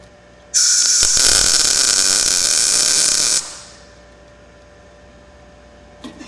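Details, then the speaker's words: Blue Demon 140MSI MIG welder after fixing a shielding gas problem that caused porosity: about three seconds of crisp, even bacon-like sizzle with no popping or sputtering, so settings are left as is; normal MIG arc sound. "it sounds good we got that good nice crisp bacon sound so I think I'm going to leave the settings right where I have them and try and run a little bit of a bead"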